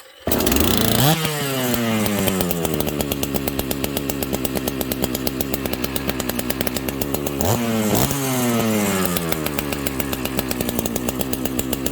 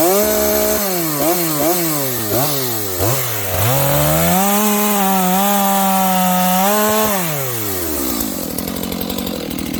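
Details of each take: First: Dolmar chainsaw, high compression, started on full choke: catches on the first pulls, then idles and revs cleanly, pitch sweeping up and back down smoothly; strong, healthy normal running. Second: Used Dolmar 7300H chainsaw at full throttle: several sharp blips, then a held high scream with no burble. It sounds a little lean even with the high-speed jet turned out as far as it will go.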